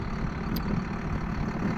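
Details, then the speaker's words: John Deere 7800 tractor raising a 1770 no-till corn planter: a deep, steady, labouring diesel rumble at low revs, with the hydraulic pump starving for oil and lifting the planter slowly. "You hear it grunting like that, it's starving for oil because the engine's not running fast enough."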